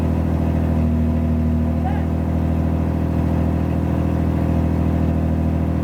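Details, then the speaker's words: 1986 Pontiac Fiero GT, first start after about five years sitting, manual: cold engine on fast idle, steady smooth low drone held high, no knocks or misses, idle still coming down while warming. "all right i waited till it idled down some more um it's still gonna go down further than this but yeah that's pretty cool"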